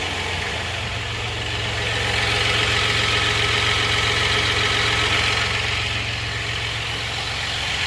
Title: rattling sound 4.3